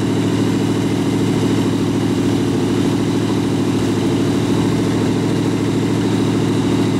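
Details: Rat rod truck idling with a York AC compressor converted to a belt-driven air pump for an air-bag suspension, filling the tank, switch set near 100 psi; steady idle with regular pumping pulse about 160 per minute, normal.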